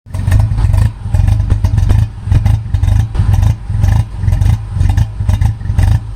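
Lumpy, uneven engine beat with a surge roughly once a second instead of a smooth run; sounds like it's misfiring.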